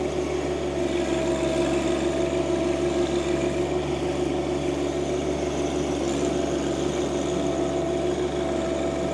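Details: John Deere 2025R compact tractor driving a Tarter RT205 rototiller after its seized top gearbox (oil leaked out) was replaced. Steady, even drone with tines churning soil and no knocking or grinding; running smoothly.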